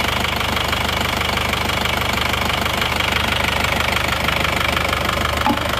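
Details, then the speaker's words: Isuzu Panther Touring New diesel idling after engine overhaul (piston rings, head gasket, valve seals, crank seals, clutch replaced): even, steady clatter, the earlier limping tak-tak knock, shaking and dipstick smoke are gone; normal diesel idle. "Ini adalah suara mesinnya setelah mesin diperbaiki. Jadi getarannya sudah tidak seperti yang kemarin. Sudah tidak suara tak-tak ya. Suara mesinnya seperti ini."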